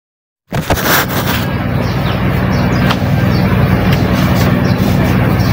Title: Noisy humming panasonic industrial ceiling fan F-MY153